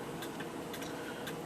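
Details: An 1890 kitchen clock, reassembled with its door back on and the hour hand repaired, though that hand repair later failed. Crisp, even ticks about every half second in a quiet room; the clock is running normally.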